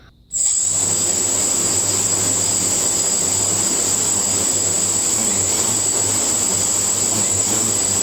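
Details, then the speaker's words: Quadcopter on INAV PID tuning stand after lowering P gain to about 9: steady even high-pitched motor whine with no surging; motors no longer overcorrect, stable hover. "and so you see when I fire this up the pop start turning it no longer when when when women you can hear the motors are not trying to overcorrect"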